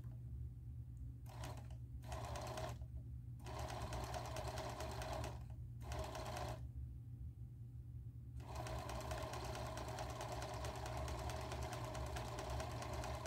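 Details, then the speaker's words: Singer 431G with internal motor converted to low voltage, sewing denim: short stitching bursts over a steady motor hum louder than it should be because the motor shaft is slightly out of balance; super slow control works. "well unfortunately it's not quite as quiet as it will be because because the motor is or the the shaft is slightly out of balance as I said before but it works"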